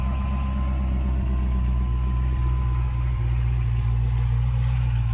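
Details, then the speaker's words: Bone-stock LS7 V8 in a wrecked C6 Corvette Z06, mufflers open: deep, steady burble at idle with an even loping beat and no knocks or misses; healthy V8 idle. "as expected this thing is a bone stock ls7 which sounds absolutely phenomenal with the mufflers open which they are right now"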